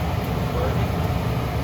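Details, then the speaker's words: Old Carrier 58SSB120 gas furnace after its seized double-shaft blower motor was replaced, the first replacement dead on arrival; new motor runs with a steady low hum and even airflow rush, no grinding or stalling, working normally. "Did you hear it working? It was not working before. It was humming."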